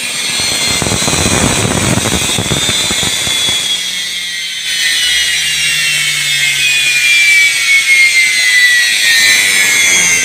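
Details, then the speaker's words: Indesit washing machine motor bench-tested on mains with brushes wired directly, heater cold: spins up with a high whirring rush and rough hiss, smooth but noisy; slightly noisy bearings. "работает прекрасно но шумновато это значит у нас подшипники немножечко так под шум ливают"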